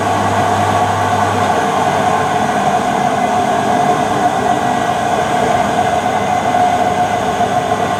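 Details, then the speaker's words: Mid-1990s Whirlpool AWG324 4kg 600-spin slim washing machine running: constant hollow rumble with steady ringing whine, knocking and bouncy drum; drum bearing wear. "they're the bearings on the drum and they're gone you can see there's quite a dense heat here um I suspect the SP and you can hear this knocking also it's quite bouncy"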